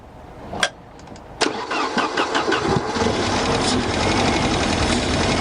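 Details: Mercedes 190E with the 2.0 M102 engine, sat unused for over 3 years, with a broken fuel pump: a click, a short crank, then the engine catches and runs unevenly and smokily only on fuel poured in by hand. This confirms a dead fuel pump before replacement.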